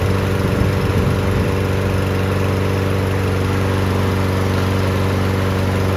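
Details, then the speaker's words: Newer Toro Recycler mower after fixing water in the fuel, cleaning the carb and adding 500 ml of fresh oil, air filter off: a steady, even putter at constant speed with no misses or surging, running cleanly. "Yep, sounds good. Okay guys, let's go get that air filter on. And there we go guys, that Toro recycler, it's good to go."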